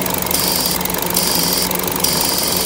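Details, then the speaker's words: 2014 Chevrolet Cruze 1.8L with P0171 and P0300, idling with the purge valve unplugged: steady, high hiss over a smooth idle, a vacuum leak through the stuck-open purge valve; fuel trims near 40 drop when it is plugged. "Hear a vacuum leak right away. Hear it right here, which I'm gonna plug the purge"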